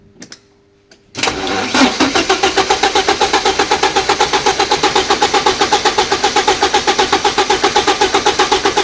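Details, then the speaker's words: 1986 Porsche 944 Turbo, first start attempt in years after a short circuit was fixed: the starter turns evenly, about four beats a second for eight seconds, never firing. There is no spark and no injector pulse. "Но машина не заводится. Я вижу, что уже проверял наличие искры тестером, и индикаторная лампочка не загорается. Я также проверил импульс впрыска здесь. Этого тоже не хватает."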